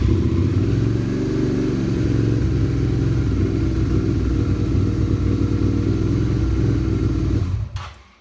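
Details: Suzuki SV650 motorcycle after fitting a newly activated Yuasa YT12A-BS battery: engine catches at once, settles into a steady, even low rumble with no misses or knocks, then switched off; normal start and idle.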